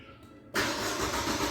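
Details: Chevrolet Aveo started through a newly installed start-stop push button: after a short quiet moment the engine catches at once and settles into a strong, even run; normal start.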